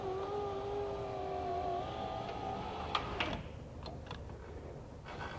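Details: 2004 Nissan Titan front left driver's window, new motor and regulator assembly test run during installation: smooth steady motor whine about three seconds, then soft clicks as glass stops; normal operation.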